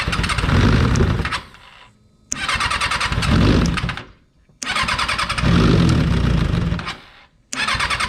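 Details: Freshly rebuilt Kawasaki 636 engine just installed in a car: about three cranking attempts with gaps, catching briefly then dying each time; hard start, sputtering; eventually fired up.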